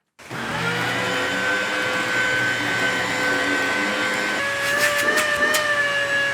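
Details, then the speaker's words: Shark Rotator vacuum suction motor after teardown and reassembly, which stank when run: steady high whine with a slight pitch shift partway and some rattling near the end; it works but owner distrusts it and suspects damage done during repair. "at this point I was expecting the motor to go up and smoke because it stunk like the Dickens remember those whinings I damaged earlier yeah well something's wrong with it I mean it is functional do I trust it no"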